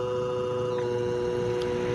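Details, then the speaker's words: Battery-powered portable fan sold as brushless but actually fitted with a brushed motor; the fan is noisy and the motor unstable. Even, steady hum with a few clear mid-pitched tones: brushed motor hum. "Hidupkan, itu suara dengungnya, itu mulai suara dengung. Nah, ini dengung khasnya dari dinamo biasa, dinamo belum brushless, bukan brushless, itu berdengung ya."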